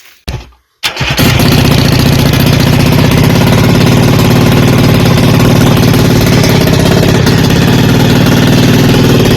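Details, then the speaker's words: 1975 Kawasaki Arctic 440 twin-cylinder two-stroke with electric start, CDI box and dual coil in a custom ATV, heard just after start-up. It runs loud and lumpy with an uneven, choppy beat, firing on only one cylinder. The dual coil failed an ohm test. "In the video, it was only running off of 1 cylinder. I later discovered that my dual coil is bad. So when I ran an ohm test on the coil, it was wrong."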